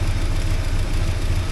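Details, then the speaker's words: 1979 Porsche 924 warming up after a fuel tank clean: the cold idle is low, lumpy and slightly hunting; the owner blames warm-up regulator issues and says it runs all right once warm. "We'll just let it warm up, see how things go. Still there's issues with that warm-up regulator."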